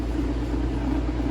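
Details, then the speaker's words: Craftsman utility sharpener after replacing its drive belts: low steady motor hum with a mild even buzz, no slipping squeal or knocking; grinding wheel spins normally forward and reverse. "you can see now, the grinding wheel spins. And reverse."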